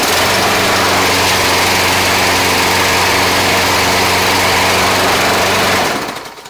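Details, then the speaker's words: $30 Craftsman Gold 22" 3-in-1 self-propelled lawn mower after replacing the seized front drive wheel hub bearing (wheel that wouldn't spin): loud, steady engine holding even speed about six seconds, then shut off spinning down; driving and running as it should. "We got this mower. driving and running the way it should."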